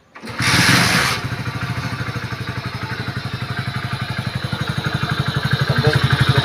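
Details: Hero HF Deluxe BS6 100cc motorcycle after clutch plate replacement, test start: burst of revs then steady even putter at idle; normal idle.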